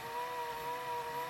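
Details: Pye VRD-300L VCR (1992 Daewoo chassis) near the end of rewind: steady motor whir with a thin high wavering tone; drive belt slipping, pulley spinning much faster than driven part, causing the noise.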